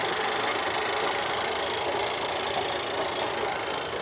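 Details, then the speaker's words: Audi Q3 engine rebuilt after flood hydrolock destroyed the block, all parts refitted: steady, even hiss-heavy idle with no knocking or rattles over the hum; quiet, engine sounds settled and healthy. "As you can see बिल्कुल silent है। सब okay है।"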